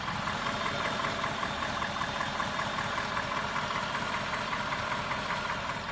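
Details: 2007 Cadillac STS with 200,000 km on Mobil 5W30 full synthetic: a light, even tick at warm idle that is absent when cold. The owner suspects a lifter; the engine doesn't burn oil.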